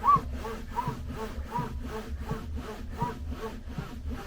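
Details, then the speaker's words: Bambu Lab A1 3D printer placed against a wall: regular dry scraping as the bed travels during homing and testing, bed cable kinking and rubbing the wall behind. "then you have a problem because that when you're pining up at the front of the bed here or it's doing its testing this is what you"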